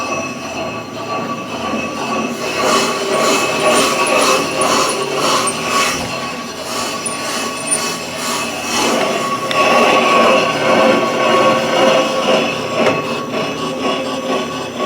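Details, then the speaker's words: Brake lathe turning a warped rotor on a slow 5–10 minute pass: shrill metallic scraping that swells and fades about twice a second as the cutter bites only the high spots. "I'm gonna go ahead and roll this thing all the way in, and then I'm gonna engage it, and little by little, it's going to cut all the way to the end. And the process takes between 5 and 10 minutes."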